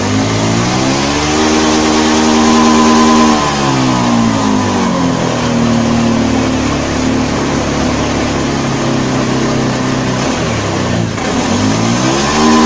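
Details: Honda Beat FI scooter that bogs and loses power when throttle is opened: repeated revs with pitch climbing then sagging back, sluggish hesitant pickup; fuel pump pressure stable so pump ruled out for now, hesitation on throttle.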